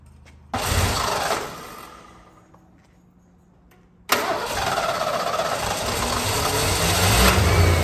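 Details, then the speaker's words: 1988 Ford Mustang 5.0 GT Fox body, manual, long neglected, just after oil and filter change: starts, stumbles, dies, restarts to a rough uneven idle; still idling rough, slightly better under throttle. "foreign so unfortunately it is still idled and a bit rough however it seems to be dry um a little better under you know throttle"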